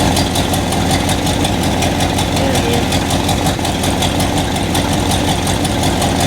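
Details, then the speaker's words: 1976 Chevy or 1964 Chrysler after new spark plugs and wires, plug wires pulled one at a time: loud, lumpy idle with an uneven beat about once a second, misfiring; owner suspects a vacuum leak from taped-over ports, improved once capped. "I just had tape covering these, but it wasn't enough. So, I actually put some plugs on it, and I think we had a vacuum leak."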